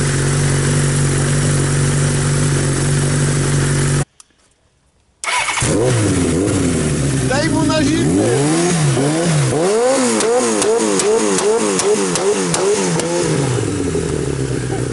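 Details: 1982 Suzuki GS1100 first run after rebuild; steady idle, a short break, then a restart and a series of clean revs that climb and drop crisply. Normal running.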